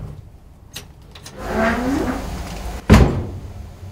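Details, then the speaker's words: Church organ blower switched off in the basement: low hum winds down, then one heavy thud as it stops; loud shutdown clunk of unclear origin. "What about this dreadful clunk when I go downstairs to switch the organ blower off?"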